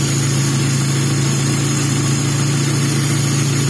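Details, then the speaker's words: Taruna EFI brought in sputtering and lacking power, during tune-up after adjusting the trigger sensor position for the highest idle: steady, even idle with a firm low hum, no misses, knocks or hunting. Smooth idle. "Oke, tinggi. Anteng. Yo, ringan yo."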